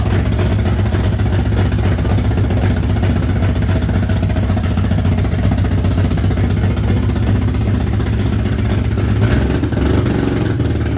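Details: Barra engine swapped into a GU Patrol, first start after wiring and ECU setup: loud engine with an uneven, stumbling beat and some clatter, idle hunting rather than settling; runs rough with misfire and idle issues, cause unknown.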